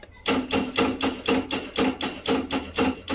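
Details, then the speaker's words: Honda Activa scooter on self-start: rapid even clicking about four times a second with no cranking, battery fine; the starter relay's carbon-blackened contacts spark and separate instead of connecting. "रहे मतलब यह दोनों point आपस में connect नहीं हो पाते spark हो के अलग हो जाते हैं केवल"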